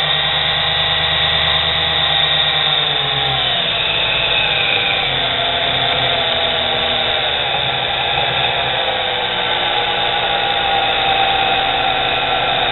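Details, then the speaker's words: Nano lathe with a high-rpm motor of under 1/4 hp driving the headstock through a 22 mm to 44 mm (2:1) pulley: high whir shifting pitch and surging unevenly under load as the motor cuts in and out while speed is raised. "that that's the motor cutting in and out right there bringing up a little more speed"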